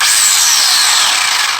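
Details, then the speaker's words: Traxxas Bandit VXL RC buggy, wheel held off the ground: high-pitched gritty grinding, clicking whir fading as it slows; fault inside the gearbox, not the missing shock. "we're going to go ahead and go straight into the gearbox, because that does not sound good at all. Should not be clicking like that."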